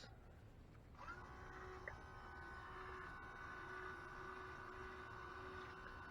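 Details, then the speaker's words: Saturn Ion Redline supercharger intercooler pump run by a jumper wire from relay port 30 to bleed the coolant: steady electric hum with a faint wavering overtone; air still trapped in the system passing through the pump. "There's quite a bit of air in there. Okay. I don't know if you can see that, but you can also hear the air, still in the system. It's going through the pump."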